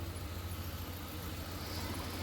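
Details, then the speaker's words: 2007 Ford Explorer 4.6 L V8 after fitting a fresh spark plug and clearing power balance: steady even low rumble with slight normal up-and-down, no misses; normal smooth idle. "यह थोड़ा बहुत up down normal होता है बाकी सब clear है"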